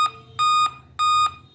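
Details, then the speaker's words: Dell laptop powering on with display working, repeating steady five-beep code continuing after boot, pointing to a dead CMOS battery; fix involves removing battery and back cover screws. "Laptop on करने पर अगर आपका भी laptop beep कर रहा है, देखिए laptop हमारा ऑन हो रहा है, डिस्प्ले भी आ रहा है, लेकिन बीच बीच में बीप की आवाज़ आ रही है।"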